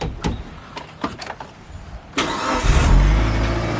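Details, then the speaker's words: Mitsubishi Lancer Evo 8 restarted after 8 years sitting, with fuel tank cleaned: brief crank, catches cleanly and settles into an even idle with no misses or knocks. A healthy start. "let me try this again one more time oh man oh this is great this is freaking great yeah oh i am so pumped"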